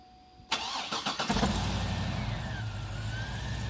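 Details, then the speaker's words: 2007 GMC Yukon Denali 6.2L LS L92, Whipple W140ax supercharger, 650HP, Kooks headers, Corsa exhaust, custom tune, after new NGK iridium plugs and Accel wires: quick crank, catches within a second, smooth even V8 idle with faint supercharger whine. "All right, now that all the plugs are changed and the new wires in place, let's go ahead and start it up."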